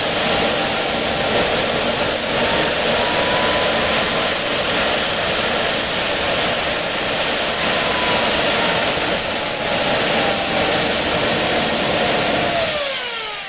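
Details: JetCat RC jet turbine after repair of starter clutch, bearings and deformed NGV that caused blade rub: smooth steady roar with thin whistle, no surging or rattles, then winding down; idle temperature normal, under 500 °C.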